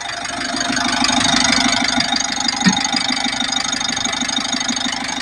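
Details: Mitsubishi L300 Euro 4 diesel running after a new wire fixed a dead dash panel and no-crank no-start: steady idle with even ticking pulses about three a second, nothing irregular; normal running.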